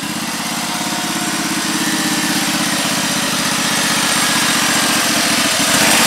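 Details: Husqvarna YTH1342XP 13 HP mower after fixing a bad PTO with a seized bearing, likely what stalled the engine: steady, even beat at high speed with slight pickup under load, clean and strong. Normal running.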